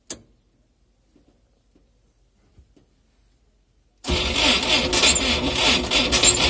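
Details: Cold start of a UAZ engine run with no oil, seized, crankshaft bearings spun: after about four seconds of quiet, cranking with a harsh rhythmic scrape and creak about three per second; spun crankshaft bearings.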